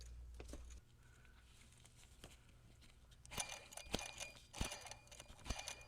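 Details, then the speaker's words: Porsche Boxster 986 idler pulley turned by hand with the belt off during water pump and thermostat replacement: uneven gritty crunching from a worn, shot idler bearing needing replacement. "bearing shot in that idler so i'm gonna have to pull that out son of a gun listen to this crusty old bearing"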